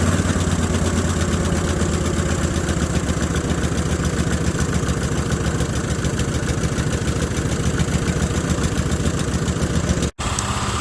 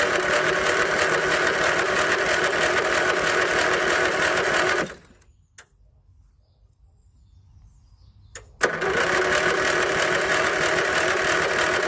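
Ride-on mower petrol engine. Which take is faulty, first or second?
second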